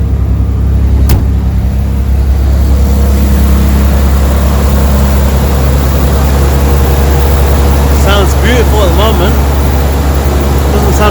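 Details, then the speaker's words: Nissan 300ZX Z32 twin-turbo manual, unused 17+ years, after fixing cylinder four misfire (wet spark plug) and fitting new correct-spec injectors; freshly started, not yet warm: strong, smooth, even idle, no stumbles or skipped beats, no misfire; normal idle. "it's missing it sounds sweet so far nice i'll let it warm up and then i'll give it a few revs"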